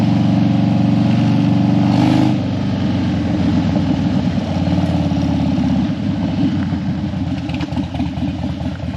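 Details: Harley Dyna that died when hot and wouldn't crank hot, warmed up on a test ride after a suspected battery fix: steady, even V-twin lope with a brief throttle blip, no stumbling or dying. Healthy running.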